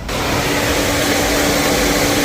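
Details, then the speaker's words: Radiator cooling fans commanded to 100% duty cycle with a scan tool after the front-end harness and fan controller were replaced: strong steady rush of air and constant motor hum, no rattle or scrape; fans working normally. "so I set the duty cycle of the fans at a hundred percent"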